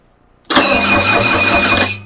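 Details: Freshly rebuilt OMC GM boat engine cranked while testing for spark, spark confirmed: starter spins the engine with a steady chugging beat for about a second and a half but it never fires; cause not confirmed.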